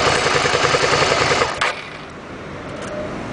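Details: SV 650 motorcycle engine at hot idle with a quick, fairly regular ticking, about three or four per second, over the engine note. Source unclear: abnormal engine noise when hot.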